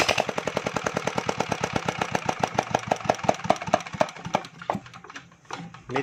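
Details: Small single-cylinder generator engine after tappet (valve clearance) adjustment: quick, steady, evenly spaced firing that fades and stumbles near the end, but runs smoothly. Normal running.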